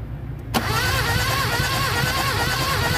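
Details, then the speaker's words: Mitsubishi Adventure gasoline 4G63 cranking during a compression test: starter engages, then a steady churn about four beats a second with no firing; cylinder 4 reads only 40–50 psi from a cracked head gasket, so it needs an overhaul. "Pakita mo nasa 50 40 to 50 lang yung kanyang PHI sa number four. Ah problema talaga guys is yung kanyang solid gasket bitak. So kaya hindi aandar."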